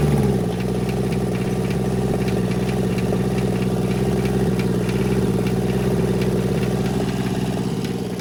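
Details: Kubota L285 four-cylinder diesel tractor revived after 8+ years sitting, after bleeding air so all four injectors get solid fuel: steady, even idle clatter at about 200 beats a minute with no misses. Normal idle.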